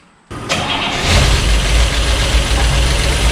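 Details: Carburetted Cadillac V8 barn find, first start after about 30 years sitting, once fuel finally reaches the carburetor: brief crank, then it catches, revs and settles into a steady even idle; it later runs a bit warm and diesels at shutoff.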